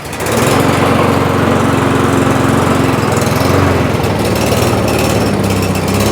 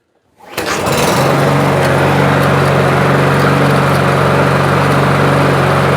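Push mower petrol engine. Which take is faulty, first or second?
first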